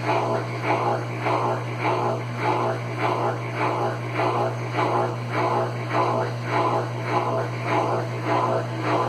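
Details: Consul Facilite CWC10 washer that would not power on, fixed by replacing the power board: steady low motor hum with an even swishing pulse under two per second. The drum spins smoothly with nothing rough, a normal spin cycle.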